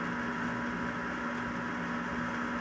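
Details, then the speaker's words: Carrier Weathermaker forced-air gas furnace after gas valve repair: steady even burner and blower hum with no clicks, dropouts or surging; running normally, and it ran for weeks and months without the intermittent fault. "As you can see, the furnace is running as it should."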